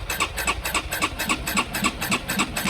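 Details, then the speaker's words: Honda CB125R with a 1000-mile second-hand replacement engine, 6,000 miles on bike: starter cranks in an even chug about four beats a second, never catches; spark confirmed, fuel delivery suspected; crank no start. "So it must be a fueling issue. For some reason, fuel isn't getting into that engine."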